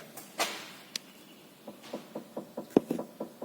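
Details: 2012 Ford New Fiesta with the car rocked: sharp hollow clunks about four per second, each push knocking; worn, loose sway bar links (stabilizer links) knocking on both sides.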